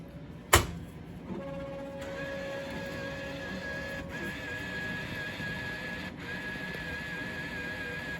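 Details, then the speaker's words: IGT S+ Top Dollar slot machine powered on after the coin comparator was reinstalled: a click, then a steady high electronic tone with regular dropouts over a low hum. The bill validator is not settling, meaning unclear. "That bill validator is not happy. I'm not exactly sure what that means."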